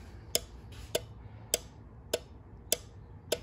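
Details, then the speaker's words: ES192 Diagnostic Relay Buddy 12/24 V tester with a four-pin relay: crisp, evenly spaced single clicks about every 0.6 seconds over a quiet background, then the green light comes on; the relay is switching properly. "okay it's clicking and then the green light comes on so that's a good one"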